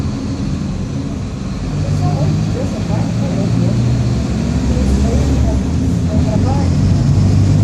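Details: Torino 2007 bus, Mercedes-Benz OF-1722M chassis, recorded 2021 in service: deep steady droning growl under the diesel that holds with road speed; worn, growling rear differential.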